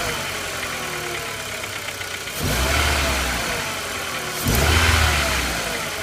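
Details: 1999.5 VW Jetta MK4 2.0 with a scanned cylinder 4 misfire: uneven, stumbling idle with a periodic dropped beat, then two throttle blips. The owner is unsure whether the spark plug, plug wire or coil is at fault.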